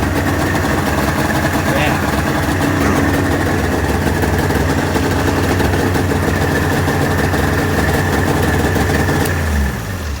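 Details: 1996 Ski-Doo Formula 3 600 triple two-stroke snowmobile, neglected project, after carb cleaning, choke cable adjustment and carb synchronization: crisp buzz holds a steady, even pace with no misses or stumbles, then tapers off; runs really good.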